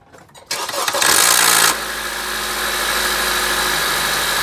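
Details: 2014 Honda Accord cold start: the engine cranks and catches, a harsh grinding rattle flares for under a second, then it settles to a steady idle. Owner suspects a defective VTC actuator.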